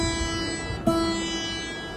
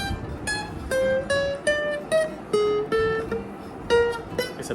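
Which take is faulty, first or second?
first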